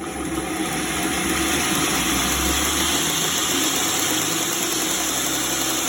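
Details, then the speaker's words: 2x72 belt grinder with speed control, switched on and speed turned up slightly: steady even whir with a constant high hum, no knocks or scraping; runs smoothly. "what i've got on this one is a speed control so we can turn it just a bit you can see it all running"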